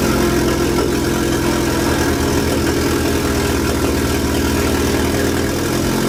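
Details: Fiat Coupe 16V Turbo after restoration and engine reinstall, fuel lines into the fuel rail corrected after being swapped: engine catches and settles into a steady, even idle, smooth low drone, no misses or knocks.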